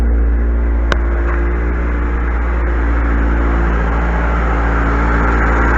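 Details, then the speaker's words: 2004-2011 Mazda 3 2.0L, about 150,000-160,000 miles, idling before timing chain replacement: loud steady idle with a light, uneven metallic rattle over it, indicating a loose or worn timing chain. "especially on this area I can hear some uh rattling uh that's a t to indicator that the timing chain um it's either loose or it's in its better days"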